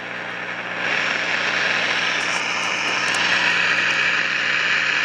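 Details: 1953 Crosley AM All-American 5 (AA5) tube radio, no antenna, tubes warming, radio/phono switch on back: steady loud hissing rushing roar, no station audio; not silver mica disease, as pulling either of two parts silences it; owner suspects oscillator running way off frequency.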